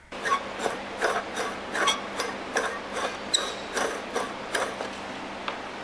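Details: Squealing, hot-smelling shop vac motor spun by hand before repair. Gritty scraping rasps about once a second from dry bearings and rust; fixed by greasing the bearings and cleaning off rust.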